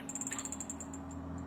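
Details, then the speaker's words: 48 V e-bike charger powered on 220 V after replacing driver transistors, 10 Ω resistor, 4.7K resistor, 3845 chip and fuse: faint high-pitched ticking about ten per second that slows and fades, abnormal sound, no output voltage; output later found shorted via blown zener. "刚刚虽然没炸，但是声音不对啊，我们再上下电试一下。你看啊，它这个声音不对，而且你看它这个输出电压也没有。"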